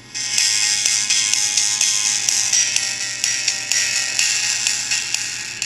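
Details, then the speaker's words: HTC EVO 4G with a blown loudspeaker, before the needle fix: ringtone-style music sounds thin, harsh and buzzy with almost no low end, bad even at low volume. "sounds pretty bad even at low volume"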